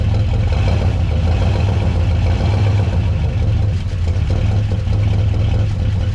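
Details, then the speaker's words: 1969 Buick Wildcat, barn-stored 26 years since 1998, at idle after revival: a steady low idle with a light, fast buzzy rattle, which is a loose fender vibrating and mimicking knock, not a true bottom-end knock. "but this thing is alive and it is a runner and it sounds pretty darn good that Fender going to make this thing sound like it's knocking"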